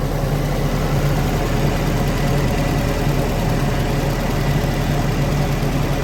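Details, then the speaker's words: Willys-powered 120/240V 52 A Army skid generator, no load, good oil pressure, coolant low: steady even low thump and smooth hum, no misses or knocks, no smoke; normal running. "no smoke willis just knew how to build them back then i tell you what y'all this is a testament it's a good engineering no smoke"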